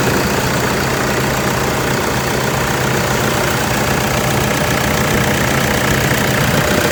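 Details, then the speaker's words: Toyota Fortuner 2.5 G VN Turbo diesel, registered 2011, one owner; loud, steady diesel idle with even clatter and constant pitch, no misses or surging. Engine described as quiet and very smooth, no blow-by at dipstick; healthy. "โอเคเดี๋ยวผมจะมาสตาร์ทให้ฟังเสียงเครื่องกันนะเครื่องเงียบเดินเรียบมากๆนะครับ"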